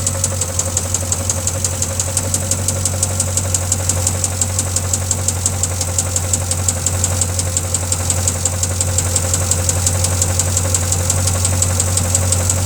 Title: Engine knock